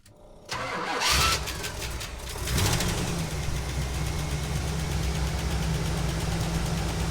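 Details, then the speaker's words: 1977 GMC motorhome after replacing faulty HEI ignition coil for no-start: brief cranking, then catches cleanly into steady even idle with no misfire; ignition problem fixed. "And it works. We fixed the ignition problem."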